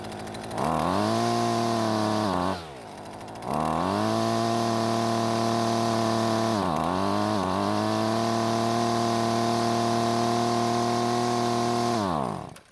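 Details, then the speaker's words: Husqvarna string trimmer two-stroke, retested after reassembly and a longer warm-up: screams at high revs, sags twice, then falls away and dies on throttle release as if switched off; cause not pinned down. "And just like that, it fell on its face as if it was turned off."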